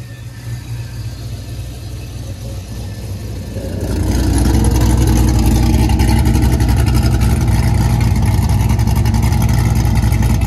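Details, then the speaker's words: LS V8-swapped Mustang with exhaust cutouts, warming up: loud deep V8 settles at idle, then swells into a steady, even, heavy drone as revs rise; healthy, no knocks. "but everything sounds really good the motor sounds good oh yes all right guys so here it is"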